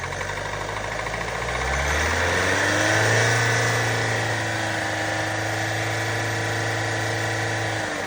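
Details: Range Rover Velar 2.0 D240 Ingenium diesel with the engine warning light on: a quick, even tick about four a second at idle, sounding like it comes from the top end, and it goes away when revved. Cause unknown.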